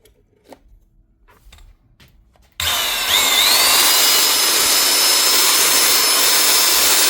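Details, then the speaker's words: Power grinder that would not run, fixed by simply replacing the blown fuse: after a click motor spins straight to a steady high whine, holds evenly with no rattle; runs healthy. "That actually does. Not much of a fault there. Surprising for a tool repair channel."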